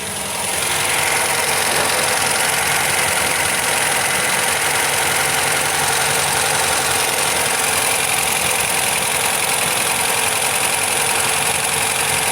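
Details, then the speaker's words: MGB GT with rebuilt carbs reset using a colour tune and all electrics changed: loud, busy idle with an uneven, stumbling beat; it still seems to miss at idle, cause unknown. "So it's just gonna, it doesn't sound any better, does it? So we've definitely got some issue somewhere. It seems to miss, but we've changed all the electrics, we've set it up carb-wise."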